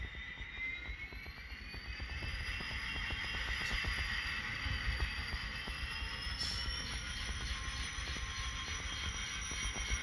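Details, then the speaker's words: Model locomotive reversing through each Kato turnout after No-Ox-ID A Special applied, previously troublesome: light electric whine with soft even wheel clicks over the points; no stalling, smooth as butter. "Engine is not having no problem whatsoever going through these turnouts. That engine is going through just as smooth as butter."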